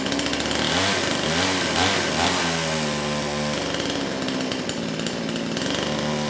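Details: Kraftworld KW-5800 58cc Chinese two-stroke chainsaw, previously non-starting after being run on straight fuel, now with new carburetor and throttle locked open: catches and holds a high steady buzz, running cleanly without dying.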